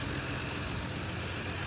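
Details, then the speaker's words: 1954 Nash flathead engine after head gasket job, started on a 6-volt booster: low, even idle with steady beat, no misses or knocks; runs smooth, owner suspects valves self-cleaned. "It's a 6-volt boost. Oh, Sounds pretty smooth. Ah, that's nice. Yeah, I'm happy with that."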